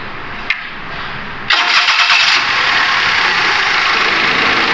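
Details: Perodua Viva 850 1.0 auto that shook even after a new coil plug set, wiring problem suspected rather than ECU: starter catches quickly, engine settles into an even idle without misses or shaking.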